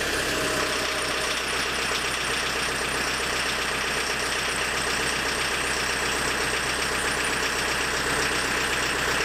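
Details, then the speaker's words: Diesel engine with a Lucas DPC injection pump, timing set about 1.5 mm or more early from TDC: hard, sharp clatter with heavy shaking, dull throttle response; over-advanced injection timing. "Но дым дымом, но колбасит его очень сильно, трясет и жестко очень работает. Можно было еще, конечно, меньше делать, но тут уже и так понятно, что двигатель очень жестко работает."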